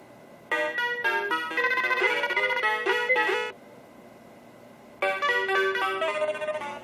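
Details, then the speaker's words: Mappy arcade PCB after fitting a new RAM chip in position 3K: crisp, clean in-tune game melody in two bursts with no garbling; sound fixed. "I put a new chip in 3K, back in 3K, and it sounds good again."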